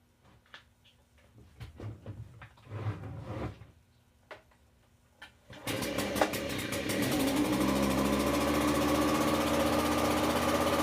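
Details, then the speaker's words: Echo PB-265LN backpack blower after a coil swap (non-adjustable carb): after handling clatter the two-stroke catches and settles into a steady, even buzz without stumbling; running fine. "I'm just gonna go around and blow with it let it clear out and everything but it sounds like it's running fine now there's no problems with it"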